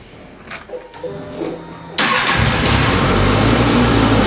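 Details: Suzuki GSX650 motorcycle, 20,914 miles: ignition clicks and fuel pump whir, then a quick crank and clean catch settling into a smooth, even idle with no knocks.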